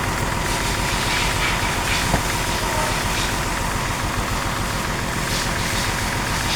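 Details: Nissan Pathfinder, 2007–2008 model, 4.0 L V6, idling with a misfire: uneven, stumbling idle with irregular dips in the engine beat as a cylinder drops out.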